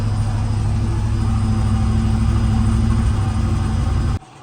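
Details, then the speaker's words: 1977 Lincoln Continental Mark V V8 after three years in storage, first run once fuel reached the carburetor, smoking: deep uneven idle lumping and wavering about four seconds before cutting out. Rough idle. "I think it finally got gas to the carburetor. Yeah, all right, cool. It's running. It's rough, but it's running."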